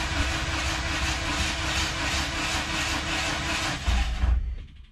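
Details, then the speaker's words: K-swap turbo Miata, rebuilt engine cranked without fuel or injectors hooked up and clutch not bled: steady even starter churn at constant pace, no knocks or grinding; healthy cranking with 25–30 psi oil pressure. "it should crank over pretty smooth but this is probably gonna take a minute"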